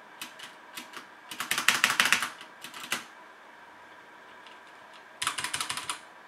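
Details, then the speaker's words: HyperX Alloy FPS Pro mechanical keyboard, Cherry MX Red switches, PBT plastic keycaps, aluminum top plate, typing test: bursts of quick crisp clacks with smooth bottom-outs, no rattle or ping; sounds healthy. "this sounds pretty good this is cherry mx red switches with pbd plastic keycaps and an aluminum top plate so it's how this keyboard sounds"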